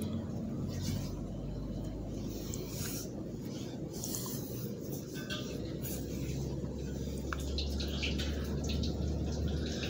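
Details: Honda Blade/Revo Absolute engine idling with a coarse, rushing, water-like roughness over the hum, identified as a worn, loose camshaft bearing causing the rough engine sound.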